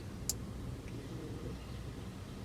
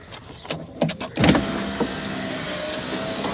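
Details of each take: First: Rover 416 GTi driver's window circuit, still acting up after resoldering and with window switches unplugged. Two sharp isolated clicks about two seconds apart, randomly clicking on and off; owner suspects a resistor or regulator fault. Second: Driver's door window on a Rover 416 GTi after regulator/motor repair with newly soldered motor wires, running up and down twice for about three and four seconds with an even whir, no grinding, slowing or stalling; normal operation.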